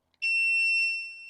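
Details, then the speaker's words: DBPower portable jump starter (1000 A or 1600 A unit) with reverse polarity protection, clamps connected backwards. The light turns red and one loud, steady high-pitched beep holds then fades, warning of reversed clamps while the unit refuses to supply power. "And if I happen to do it backwards it will turn red. And you'll hear that noise."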